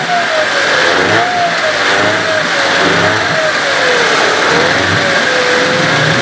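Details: Evinrude/Johnson 15 hp outboard running after driveshaft swap: steady high whine over the motor, drifting with engine speed, less bad than with the other driveshaft but still present; source unknown, motor deemed parts.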